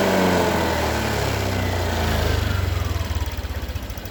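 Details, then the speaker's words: Honda Vario 150 scooter that stalls on throttle after morning starts, after the fuel pump filter was cleaned and refitted: picks up cleanly on the throttle, then drops back to an even idle without stumbling or stalling; runs normally. "Oke ya teman-teman, ini sudah selesai, mesin sudah nyala."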